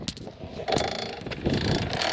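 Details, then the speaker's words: Bicycle ridden with a sudden drivetrain grind that began mid-ride, rear brake lever also loose: rough scraping grind in bursts with each pedal push, louder the harder it is pedalled, making it hard to go fast, cause unknown. "And the harder I pedal, the louder it gets, and kind of hard to go fast, because it's so hard."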